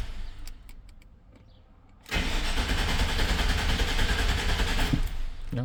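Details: 1999 GMC Sierra, 261,000 miles, misfiring cylinders 4 and 8: steady starter cranking about three seconds at roughly 200 even pulses a minute, no weak beats; compression balanced, misfire caused by leaking intake manifold gasket.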